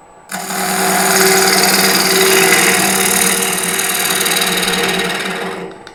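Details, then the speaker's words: Wood lathe turning a now-symmetrical wood bowl blank at about 1000 rpm, kept there to avoid vibration; steady, even whirring hum holding pitch with no wobble or knocking, lathe running smoothly. "I don't want to go more than about a thousand rpms I definitely don't want to create vibration in the lathe it's a pretty good speed right there"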